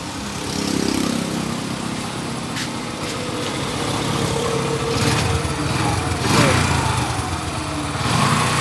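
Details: Yamaha small engine after carburetor cleaning, water and some rust removed from carburetor and jets cleared with wire: runs steadily with even light buzz, somewhat uneven pulses but keeps going; healthy run.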